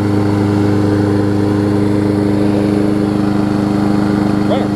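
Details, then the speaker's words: Lawn Boy push mower after blade-stop cable fix and replacement carburetor, about ten minutes running, self-propelled load applied: steady, even single-cylinder drone without hunting or misfire, governor handling load; running healthy. "all right so we're about ten minutes in here the thing is running great"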